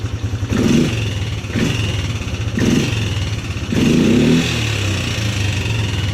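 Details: 2010 Polaris Sportsman 300 single-cylinder ATV, just bought needing full maintenance and low on fuel: thumping at idle, then four clean, crisp blips with no clatter. The engine sounds healthy.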